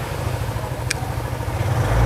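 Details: Used fuel-injected Suzuki Impulse 125 motorcycle, registered 2025, runs at a smooth steady beat, rising slightly at the end, with no knocks or rattles; normal healthy running.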